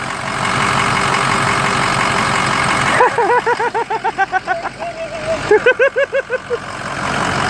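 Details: 6.0 PowerStroke diesel after oil cooler install and FICM installation, first start: steady diesel rumble settling into an even idle, some chirping later; engine runs smoothly without stumbling.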